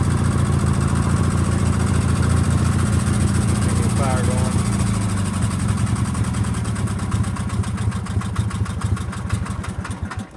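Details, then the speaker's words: Sears GT18 garden tractor engine idling with a light quick tick over the steady beat; left intake valve has too much lash. "now if y'all hear that ticking i know what it is i know i've heard people ask me about the house at the house but it is uh i know which valve it is it's the left intake valve it's got too much gap in it"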